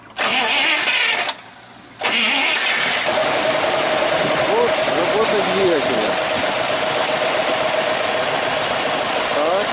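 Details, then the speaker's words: Rebuilt GAZ-53 engine (earlier unusual knock and oil pressure loss) running after towed cold break-in: starter cranks briefly, engine catches and settles straight into steady idle with faint whistle, no knocking; normal start and idle. "и теперь сейчас мы послушаем работу запускаем"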